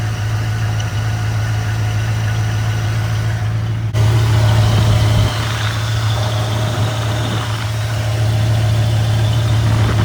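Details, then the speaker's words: 1995 Camaro Z28 after AC delete: steady idle with a constant thin whine over the engine hum from the AC bypass idler pulley, thought to be the new pulley breaking in. "it was coming from the bypass pulley itself, from the AC delete, and being of that just means that it was just breaking in"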